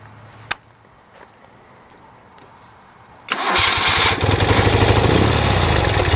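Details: 1973 BMW R75/5 airhead twin, 43,000 miles: quiet, then the starter catches and it settles into a steady, even idle with a regular beat; healthy normal idle.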